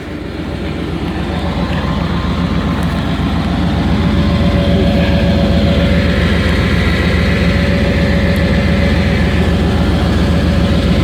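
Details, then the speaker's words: Used Chevy Tahoe just started, no smoke and good oil pressure: deep, loud, rough-edged idle with a steady puffing beat; catalytic converter has been removed and owner suspects an exhaust leak, probably at the collector, unconfirmed. "i was saying that the exhaust is it sounds like it has an exhaust leak so i'm going to crawl under here real quick and see if i can see what's going on"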